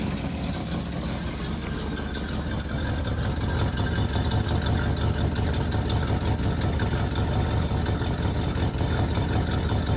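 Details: 1967 Plymouth Fury III (383 V8, per tags) just after first start in 15 years, smoking while burning off dust: deep, steady V8 burble at idle lifting slightly on a light blip, even beat, no knocks or misses.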